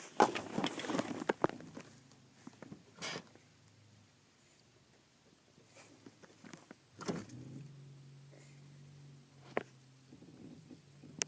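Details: 1998 Saturn SL with the engine off: a low, drawn-out creak as the brake pedal is released.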